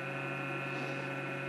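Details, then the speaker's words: TIG welder at 90 amps welding a cracked oil pump cover from a Pontiac Fiero GT 3800 turbo engine rebuild, in a cold workshop: steady electrical hum with a buzzy, whining overtone, an odd noise the welder makes, possibly due to the cold; cause not confirmed. "Hace frío en el taller, cuando mi soldador empieza a hacer ese ruido raro, ... ¡es"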